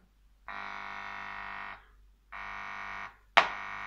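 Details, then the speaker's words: Eumig 430 Wb vintage tube radio, fed 230 V, ECL11 audio tube at correct filament voltage: plain wires in the gramophone input, touched, bring steady mains buzz bursts through the loudspeaker, so the audio output stage works normally. "I have connected just wires plain wires into gramophone input and when I touch when I touch one you can hear the buzz come in in loudspeaker"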